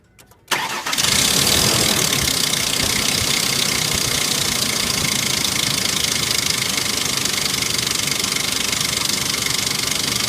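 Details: 1998 Ford Explorer at about 123,500 miles, noise at idle only and newly started: a loud, sharp clicking clatter. The cause was a broken timing chain tensioner, fixed by replacing the timing chain and tensioner.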